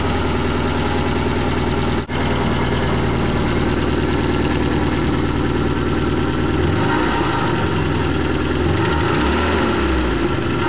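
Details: BMW E21 316 with 1.8 M10 carbureted four-cylinder after head gasket swap and carb rebuild: idles unevenly with occasional stumble, rough noisy running with slight misfire; owner guesses ignition timing, cause unconfirmed.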